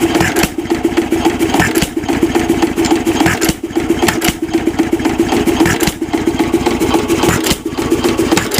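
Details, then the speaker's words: 1926 Nelson Bros. hit-and-miss engine, governor spring screwed in to raise governed speed: quick, steady run of firing beats with no skipped strokes, holding a noticeably higher even speed before mixture readjustment. "so I'll go ahead and I'll screw this in and we should hear the engine speed change quite drastically"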